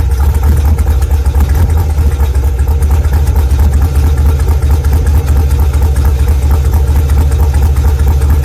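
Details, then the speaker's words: Idling engine with a busy metallic rattle over the low rumble, caused by a loose ball trapped between the flex plate and bell housing. "that noise was the sound of the ball getting loose in here and then jiggling all into the flex plate"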